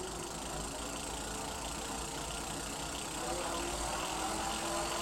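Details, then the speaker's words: E-bike hub motor on the stand after swapping in a KT 30 A controller with new parameters: faint even hum with a soft whine rising as the wheel gains speed, smooth and healthy. Normal hub motor run. "so let's set you on the tripod and point you at the wheel and let's listen to this uh turbine noise"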